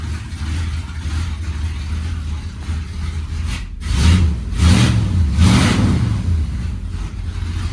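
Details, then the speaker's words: 1971 Ford F100, 302 V8 with rebuilt carburetor, cold start after winter storage since December: rumbles with light throttle blips, slightly rough and puffy; exhaust leak right after the headers, and it still needs tuning. "You can hear the exhaust leak right after the headers. I gotta get that fixed too."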